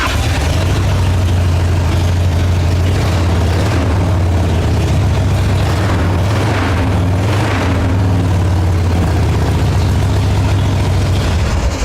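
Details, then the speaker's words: 1990 Harley-Davidson after repairing a no-spark fault: deep even V-twin rumble, holds steady and picks up cleanly with throttle, no misfire; spark on both cylinders, runs normally. "there's your after after repair the bike runs it's got spark on both cylinders"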